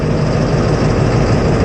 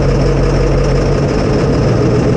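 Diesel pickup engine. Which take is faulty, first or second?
first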